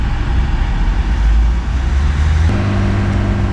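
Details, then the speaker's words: 2018 Nissan Qashqai J11 1.6 dCi 131 hp diesel, scanner-forced DPF regeneration outdoors: engine steps from low rumble to steady fast idle above 3000 rpm; normal forced regeneration, nothing abnormal. "băieți motorul la ralanti este peste 3000 se întoarce apoi efectuând regenerarea forțat"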